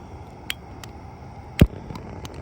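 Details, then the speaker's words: Accucraft Ruby live steam locomotive gas burner being lit: one sharp low pop among light clicks; flame not sitting at the back of the burner, which can damage the engine. "That's what you not That's what you don't want it to do. That can damage your engine."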